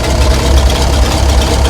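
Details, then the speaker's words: Ex-military International 6x6 dump truck fitted with a six-cylinder Perkins diesel, first start after sitting about 10 years: started very quickly and settles into a steady, even low diesel rumble at idle, no knocks or misses. "This is one of the quickest starting engines I've ever started, I reckon."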